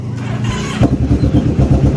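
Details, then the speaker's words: Kawasaki Vulcan 650 motorcycle in neutral, hard to start: brief cranking, then the engine catches and settles into a steady, lumpy idle. The owner suspects the battery. "So, the Vulcan's having trouble starting right now."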